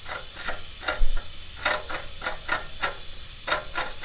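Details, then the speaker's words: Broken go-kart axle bearing, cracked in four places, turned by hand after axle removal, giving gritty, scraping rasps in uneven bursts; 5/8-inch axle being replaced with a thicker axle kit with new bearings and hangers. "I've just removed the axle. We have got a bearing that's broken in 4 different places right here, and"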